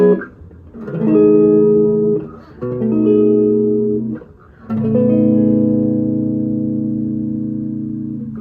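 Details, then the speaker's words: Electric guitar through a pedalboard with 35RT pickups fully up, any pickup or tone setting: three strummed chords ring clean with no crackle. "I was not getting any crackling at all um with my 35rt none at all so the crackling that I showed you earlier isn't there"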